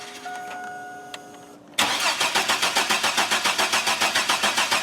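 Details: GM 4.3L Astro/Safari van, intermittent no-start, fuel pressure good: even cranking while checking spark with a timing light on a plug wire; engine never fires; crank, no start, cause unknown.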